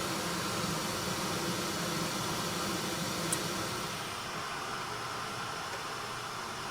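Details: 1974 HydroTherm gas-fired hydronic boiler, running at corrected low pressure, earlier rattly noise gone: steady, even burner roar without rattle, easing slightly near end before shutoff; normal burner operation.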